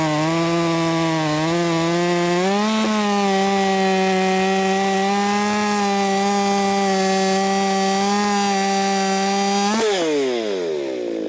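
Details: Ported Echo 4910 chainsaw tuned to 14,800 rpm, cutting wood: about 9,700 rpm when dogged in and 11,500–12,000 rpm self-feeding. High, steady howl that climbs as the chain bites and holds through the cut; healthy under load.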